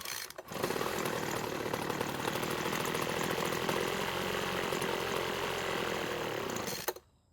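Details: Two-stroke blower engine with broken fuel return line, carb primed: buzzy run that turns rough for about five to six seconds then cuts out dead; cause found to be a perished carburettor metering diaphragm.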